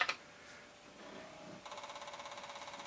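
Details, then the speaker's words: Commodore 1541-II floppy drive for a C64 formatting a blank disk normally: a click, steady motor hum, then an even rapid chatter of head steps at about the right speed. "the drive sounds the hint anyway banging sounds good and it sounds about the right speed"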